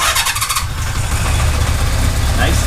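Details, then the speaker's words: 1982 Kawasaki GPz550 four-cylinder, warmed up, after going from 34 to 37 pilot jets to cure a fast idle that hung at 4000 rpm: crisp blip drops straight back to a steady idle with no hunting; normal throttle response. "so we went from a 34 to a 37 pilot jet and all of a sudden we don't have that searching issue comes right back down off my idle didn't take long to heat up either or warm up"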